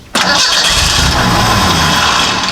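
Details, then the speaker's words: Model A hot rod coupe with a 2.3 L Ford four-cylinder and Duraspark II ignition, new ignition box fitted: catches on the crank with a rough burst, runs briefly, then sags and dies. Won't stay running. "The thing will fire and then once and then it quits. That's not good."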